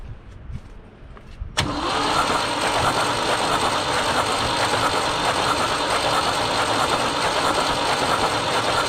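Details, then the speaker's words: 1974 Ford 3550 industrial tractor, stuck engine freed with vinegar, hot-wired with a jump pack and cranked with spark plugs pulled: starter churns the engine at a steady rapid beat for several seconds, never fires; milky fluid expelled. "We're gonna power the starter and let it crank over for a minute."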